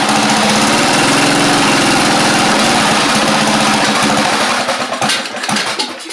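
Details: Craftsman YT4000 riding mower running a replacement engine after the original 24 hp Briggs ran low on oil. A loud single-cylinder chugging at a slow, slightly uneven idle before dying down. The idle speed is set too low, and debris in the muffler is burning out.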